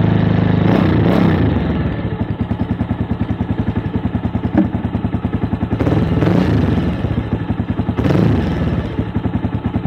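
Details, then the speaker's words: Avenger Cruiser 220, 2400 km, sat two months without fuel; after carburetor cleaning for a clogged main jet and suspected clogged atomizer, refitted with air and idle settings unchanged: single-cylinder thumping evenly with throttle blips, running smoother, road test pending. "bueno yo aparentemente ya lo hace más parejo quedaría salir a dar una vuelta y bueno probar a ver cómo queda"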